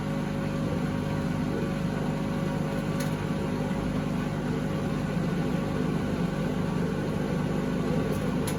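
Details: 2012 Beko WMD261 washing machine on spin and drain, pump draining fine: steady low rumbling drone with constant roar throughout; previous owners said it became unbearably loud to use, pointing to worn drum bearings.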